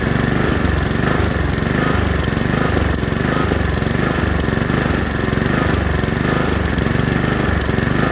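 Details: Honda HRX217 mower engine surging, speed rising and falling in uneven waves about every second; caused by dirty carburetor, fixed by cleaning the carburetor.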